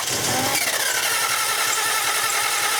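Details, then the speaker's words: 2000 Lexus RX300, 3.0L towed-in no-start: fast, even cranking with no compression catch, spinning too freely. About 22 inHg vacuum while cranking that bleeds off slowly, showing an intake restriction from a stuck-closed idle air control valve. "cranking keep dragging alright so you see we had like 22 inches of vacuum on a crank I mean that's insane I've never seen anything like that before for our vacuum to be that high during a cranking condition"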